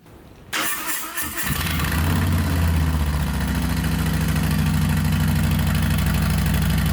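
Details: 2020 Harley-Davidson Softail Street Bob just fitted with a Two Brothers Racing 2-1 Shorty Turnout stainless exhaust: quick crank, fires, then settles into a steady loud, deep, lumpy V-twin idle; much louder and deeper than stock, healthy start.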